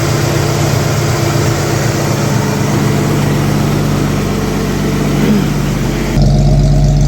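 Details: 1964 Chevy II Nova six-cylinder, sat about a year, running after wiring repairs and cleanup; even low rumble at about four pulses a second with no misses or knocks; normal smooth idle.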